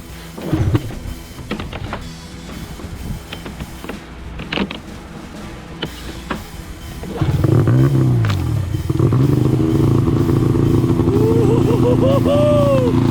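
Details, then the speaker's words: Arctic Cat ZR RR 6000 two-stroke snowmobile after new plugs and complete exhaust with mountain can: fires up after a pull or two and revs freely with a crisp, clean rise and fall; running well. "W oh my God that sounds [Music] awesome let's rev it up a little bit [Music] sounds good"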